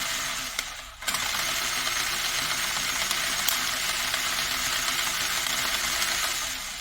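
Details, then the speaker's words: Toy 4x4 RC car after repairing one wheel: shrill rasping whir with fast rattle as the motor drives both wheels, noise from destroyed, gunky gearbox gears grinding; front also pulling; gear grinding from damaged gears. "that's the noise of grinding gears but yeah front is also pulling not for long of course"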